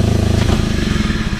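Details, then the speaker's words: Rayco 85 stump grinder after bearing replacement, covers off: fast steady engine pulse with rough uneven clattering on top; noisy worn clutch, belt nearly shot. "so uh we're still going to put a couple covers and stuff on there and uh you can hear that clutch"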